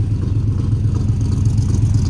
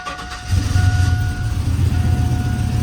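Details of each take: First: Cammed V8 truck (about 450 hp) after header gasket replacement and oil change, coil pack accidentally left unplugged: deep lumpy idle with an uneven chopping beat like a four-cylinder, running on only four cylinders; misfire from the unplugged coil pack. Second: Cammed 450hp truck engine catches cleanly and settles into a deep, choppy rumble with no ticking or exhaust puffing after loose header gaskets were tightened and replaced; the fix worked.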